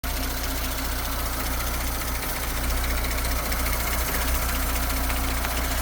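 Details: 2019 Audi S5, engine replaced 3,000 km ago, idling: high-pressure fuel pump chatter plus a new light fast tick about three a second at the front of the engine; source unclear.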